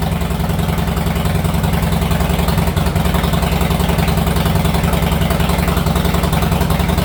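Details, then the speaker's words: 2019 Harley-Davidson Sportster 48 V-twin with new Khrome Werks mufflers, recorded in a garage; a deep, loud, lumpy beat holds steady at about three and a half pulses a second with no misses: a normal, healthy idle. "All right, it's late at night. Can't be making a bunch of noise, but it looks good. Sounds pretty good, and I'm happy with"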